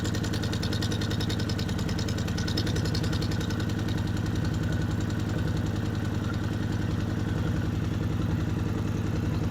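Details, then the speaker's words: Kawasaki Vulcan 750 idling, manual cam chain tensioner bolt loosened half a turn then one full turn from starting point: quick metallic clanking locked to idle rhythm over a low thump from a slack cam chain, clanking really bad at full turn. "a half a turn for my starting point and you just started hearing the clanking of the cam chain and then to show you further what a a loose cam chain um sounds like I loosened it further to one full looser turn from my starting point and you heard the clanking really bad"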